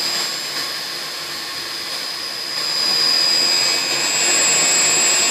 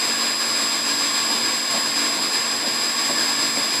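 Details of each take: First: And you can see by the pressure gauge that the reading is approximately 120. 92, raised again to 127, drop to 92, to 127. And no doubt you can hear by the sound of the pump motor the oscillation. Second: Pump station pump motor running while pressure oscillates between about 92 and 127; steady high-pitched hum with even hiss, no knocks or surges; normal running.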